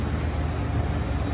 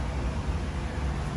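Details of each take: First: True T-49F freezer, just brought out of defrost, after a buzzing regular contactor fitted in place of the original relay was replaced: only a low, even compressor hum with no buzz or chatter; running quietly and normally. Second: True T-49F freezer condensing unit, just out of defrost: steady low electrical hum from a regular contactor fitted in place of the original relay, not the fan as suspected; replacing it quieted the unit.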